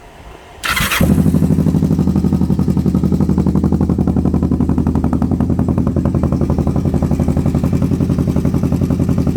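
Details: Twin-cylinder engine started after clutch checked and speedo cable cleaned and regreased; catches after cranking into a lumpy, uneven beat of about four pulses a second, running on both cylinders but rough.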